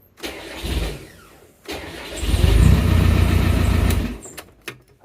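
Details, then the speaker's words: Land Rover Discovery 1 300Tdi diesel after swapping the 2.2 kW starter for a 3.1 kW upgrade starter, using the existing plate as spacer: two short bursts of clean cranking with no squeal, then it starts and runs evenly; normal crank and start. "Bloody marvelous. It worked. Fifth time lucky."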